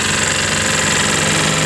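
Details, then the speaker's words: Yamaha Jupiter MX 135, oil empty, radiator dry, water pump bearing failed, heavy exhaust smoke: loud harsh rattling clatter over revving single-cylinder engine; rough knocking noise, worn piston and top end suspected. "Assalamualaikum warahmatullahi wabarakatuh masih sama Rizki motor MX suaranya kasar Mas Bro seperti ini ya"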